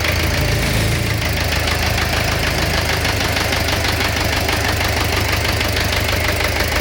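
A sharp, uneven knocking rides over the engine note throughout; an internal knock of unknown cause.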